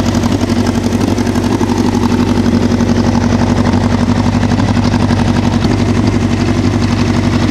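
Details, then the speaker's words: 1988 Honda CBR1000F Hurricane, original engine, just over 30,000 miles, idling: a light, regular chattering rattle comes and goes over a steady idle and grows after throttle release. It disappears around 2500 rpm. Cam chain tensioner noise, common on first-generation CBR1000s. "this machine has some cam chain noise at idle which is incredibly common for the first generation 1000 cbrs"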